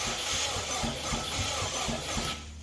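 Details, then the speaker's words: Subaru Brat with WRX swap cranked through the ignition for the first time, clutch switch engaged, fuel system not yet finished. An even starter churn at about three pulses a second; the engine turns over freely without firing, and cranking sounds normal. "She cranks, boys. She cranks."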